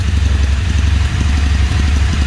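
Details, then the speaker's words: Royal Enfield Interceptor 650 parallel twin with a misfire and jerking, idling: lumpy idle with irregular phat-phat pops from one side's exhaust, a miss on that cylinder; exhaust popping, bike going to a service center. "तो इस वाले exam से जो है वह फट फट फट फट ऐसी सूंड जो है वह आ रहा है"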